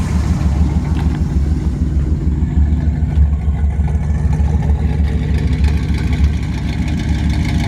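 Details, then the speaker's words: 1973 Chevrolet Camaro V8 with a mild cam, long tube headers and Edelbrock carburetor, at idle: deep, even burble with slight lope, no knocks or misses; engine runs great with good throttle response. "It's got excellent throttle response. Engine runs fantastic. It's got a nice looking engine detail. You can just hear the engine runs great."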